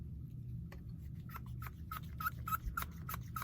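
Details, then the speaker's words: Pneumatic switch feeding a piston on a model excavator: short sharp squeaks about three per second as air is pushed into the diaphragm, over a low background hum; the diaphragm is working normally. "These two are from the switch, and what happens is that when the switch is in one direction, the air gets pushed in. If it's in the other direction, the air gets sucked out. You can hear it squeaking when you push air into it."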